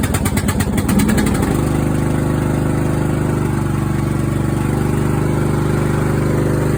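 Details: Craftsman riding mower that fired but wouldn't run, after new fuel shutoff solenoid, fuel filter, spark plug and fuel treatment (suspected water in fuel): catches and settles into steady smooth low idle, no misses or surging; normal running.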